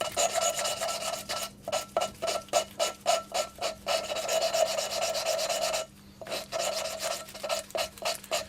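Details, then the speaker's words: Mini engine rebuild, valve being hand-lapped into its seat: steady back-and-forth gritty rasping strokes, about four a second, lifted and turned a quarter turn between bursts; good valve-to-seat contact, a good seat. "and you probably do this for couple of minutes you kind of you can hear that that's got quite nice kind of contact between valve and seat so I think that's actually quite a good seat"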